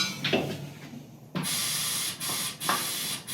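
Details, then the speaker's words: Direct Lift pneumatic motorcycle lift table after cylinder seal rebuild: short controlled hisses in even bursts as the table is feathered down; lowering smoothly, no longer dropping like a stone. "you should be able to feather it like this and that's about what it normally"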